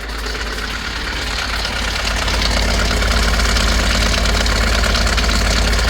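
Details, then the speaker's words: 2010 Ford Mk7 Transit diesel welfare van, engine previously locked and suspected hydrolocked, just running on a new starter: idles roughly with a heavy knock about four per second under loud clatter. Rough knocking idle. "what best Transit running a funny feeling it's been Hydro walked or something [Music] it doesn't sound good but it's running"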